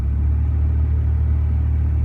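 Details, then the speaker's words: 2011 Ford F-150 with engine running, blower turned up to a higher fan speed: heavy, steady low drone; loud blower motor, owner suspects bearings or debris in the squirrel cage, before replacement. "and as you get here that is bad you know uh until I got around to fixing this I just turned up the radio and not worry about it"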